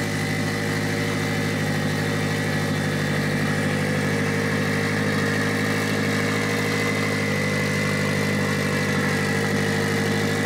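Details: Mitsubishi Evo 8 4G63T with front-facing turbo kit, first start after owner's engine rebuild (pistons, crank, timing); high idle, throttle body adjusted; idle even and settled throughout, no surging, whistling or knocking: normal idle.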